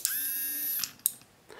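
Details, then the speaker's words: Homemade Iron Man suit faceplate: 6 V relay switched at 5 V gives a sharp click, the servo buzzes for under a second, then clicks again as it turns off; relay and servo working normally. "so it turns on for a second while the servo is moving and turns off again afterwards so you should hear a click the servo move and another click when it turns off"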